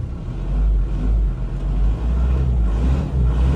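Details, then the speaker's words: 2002 Isuzu Panther LS diesel, heard from inside the cabin: only a low, steady diesel rumble with gentle swells and no rattles or knocks. The seller calls the cabin very quiet, a sign the car is not worn out. "masih sangat senyap banget ya di dalam kabin nah di dalam kabinnya masih sangat senyap banget menandakan tidak mobil capek ya"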